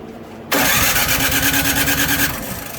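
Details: Craftsman snow blower with Powermore engine and Huayi carburetor, electric start, cranks steadily about two seconds with no catch or firing; spark confirmed good, so fuel starvation suspected, carburetor cleaning planned.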